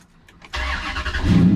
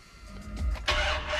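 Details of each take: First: 2003 Dodge Ram 1500 Hemi, 383,764 miles, fully warm after an hour of running, with new battery terminals: a firm, steady, strong crank with no drag, catching almost instantly and settling to an even idle. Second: 2003 Dodge Ram 1500 Hemi with the old cheap red and black battery terminals, started after sitting overnight: a sluggish, dragging crank before it fires. Poor terminal connection starves the starter, and the drag is said to be worse when hot.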